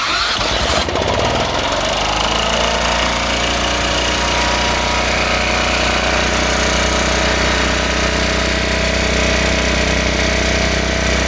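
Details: 1970 Kohler 3MM25 electric plant, Kohler K-181 8 hp single-cylinder converted to propane, with battery-powered coil replacing the failing magneto: catches after brief crank into a steady, even beat, no misses; runs well.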